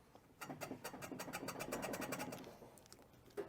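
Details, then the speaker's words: Car on a lift, suspension worked by hand: rapid squeaky creaks about three or four a second, bushing visibly moving; worn control arm bushing, control arms replaced in pairs. "okay you can definitely hear that I can even see the bushing moving around"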